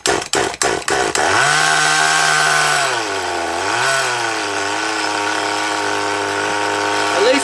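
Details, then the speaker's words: HPI Rush Evo T-15 nitro engine after fitting a new glow plug: several pull-start bursts, then it catches and holds a steady, buzzy tick-over that dips and recovers with throttle. It no longer stops straight away as it did with the old plug; normal running. "it's not stopping straight away like it did with the old logo [Applause] it's got fairly consistent tick over now"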